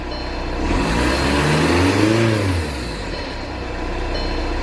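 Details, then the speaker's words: 2014 VW Passat TDI after a new injector was fitted and coded, check engine light cleared: engine revs smoothly and drops back to a steady idle with no knock, miss or rattle. Normal free revving. "It seems fine. We're going to take her for a little drive."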